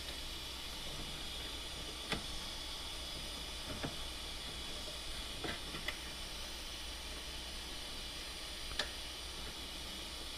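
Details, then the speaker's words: Turbo intake pressure test with engine off, intake pressurised to about 10 via compressor: steady faint hiss of escaping air with a few clicks, leaking at the injector hole, possibly loose injectors; intake boost leak at injector bore. "Almost sounds like it's coming from the manifold here. Yeah, it feels like it's coming out of the injector hole there."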